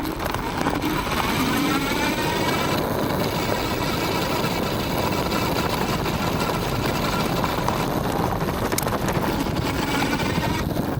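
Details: Aniioke A8 Pro Max dual-motor e-bike on rough gravel after tightening the stem, adjusting shocks and foam-padding the controller against the frame; tyre roar, crunching gravel, faint motor whine, no clunks. Clunk fixed.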